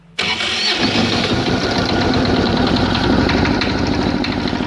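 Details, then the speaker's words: Kubota GL6500 diesel generator, cold start after preheat: cranks, then a lumpy, limping uneven chug on only one cylinder; runs briefly, dies, won't restart for a few seconds; misfire on one cylinder. "definitely one cylinder she runs for a bit dies it won't start back up for a few seconds"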